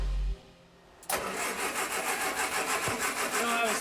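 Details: Engine of a 1967 Amphicar under restoration, cranking: the starter turns it over at about three beats a second but it won't fire because there is no spark.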